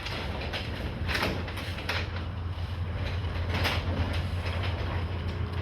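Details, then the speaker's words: Chamberlain RJO20 wall-mount direct-drive garage door opener, newly installed, opening after the lock bolt unlatches: a low, even motor hum with a few soft door rattles and no grinding or straining, very quiet; normal operation while opening. "I don't know if y'all can tell how quiet that is, but that is by far the quietest garage door opener I've ever heard."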